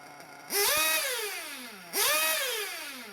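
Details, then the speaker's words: RC nitro engine after leaning low-speed needle and reducing idle gap: high-pitched engine snaps up cleanly on two throttle blips and drops back smoothly; running well, normal. "so now the engine seems fine but it was already good a while ago"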